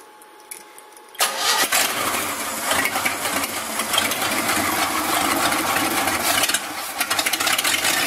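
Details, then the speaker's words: Basket-case GMC V8 restarted with the old coil back on, cranked by remote starter: a short crank, then it fires and settles into a steady, even idle without misses; the owner thinks the timing may be slightly advanced. Normal start and idle. "that's pretty good well that's that's pretty dang good uh close to being good"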